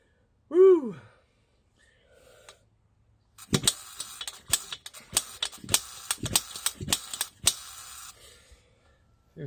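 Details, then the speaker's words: Barco H-6 gasoline jackhammer, first start in 50+ years after rebuild and honed cylinder, primed with gas and kick-started: irregular pops and bangs never settle and it dies; owner suspects it isn't feeding its own fuel, jet to be pulled. "I'm still ain't feeding off my own fuel me pull this jet out again"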